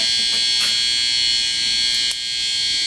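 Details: Old BC Rich project guitar with humbucker and single-coil pickups on a CRL 5-way switch: a steady, high, fizzy buzz holds with no playing, traced to the pickup wiring and put right by rewiring it properly.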